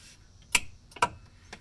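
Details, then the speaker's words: 1981 Comutacar electric car clicks sharply about every half second when the accelerator is pressed but won't move in forward or reverse; hot light stays on, taped-off wires noted, cause unknown. "so let me go ahead and just show what's happening you hear it click but it doesn't actually go and i've tried this in forward and reverse so let's do it again it's forward and you just hear it clicking"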